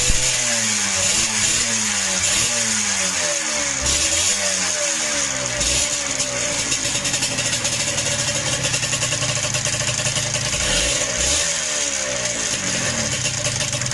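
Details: Yamaha DTR125 two-stroke, fitted with a new piston three days earlier, carb flooding out the overflow pipe: revving and settling to idle with a tinny rattle over the exhaust buzz. Valve clipping or slack was first suspected; found to be piston slap.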